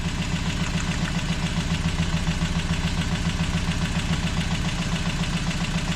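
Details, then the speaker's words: Toyota 22RE pickup after new motor mounts, oil, plugs, rotor, distributor cap and battery: lumpy idle at about three and a half beats per second with uneven shaking; problem found with cylinder one, likely misfire. "Something's wrong with cylinder one."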